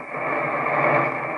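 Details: Homebrew receiver using an Si5351 VFO/BFO and SBL1 mixer, after decoupling, high-side injection and output filtering changes: short burst of rushing hiss with muffled garbled chatter, suspected interference getting through; source unconfirmed.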